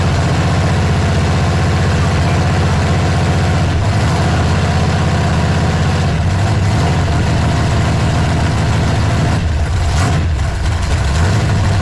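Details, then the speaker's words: Dodge Super Bee project V8 first fire-up through open pipes: a deep, even burble with steady rhythm and no knocks or misses, a healthy idle. Ignition timing can still be advanced. "yep I can put some timing in it that sounds good"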